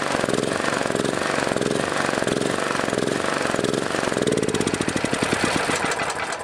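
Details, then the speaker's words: Welding generator bought new years ago, sitting about 3 years, with a battery charger attached, original carburetor: a loud single-cylinder chug whose speed wanders up and down after start; the engine surges and hunts. "However, I haven't used it for quite a while now, and now when you start it up, surges, you know, and I'll show you that."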